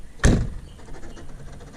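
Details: 1997 Saturn SL2 power door locks: one loud sharp clunk, then a faint low rumble. The locks seem to fire on their own when the door is closed hard, and they were diagnosed as the cause of a battery drain before repair.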